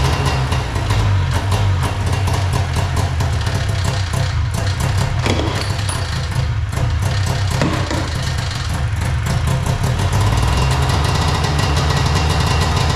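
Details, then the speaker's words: Arctic Cat Puma Deluxe 340 snowmobile, two-stroke, sat about 10 years, carb bowl filled; buzzes at idle and picks up briefly without stumbling; running now, owner suspects fuel supply problem from tank. "We got a running sled."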